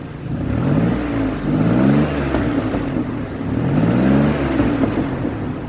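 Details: 2003 Ford Explorer that failed inspection for a misfire, revving after an ignition coil was replaced: it climbs and settles cleanly with no stumble, running smoother than before and smoothing right out under throttle.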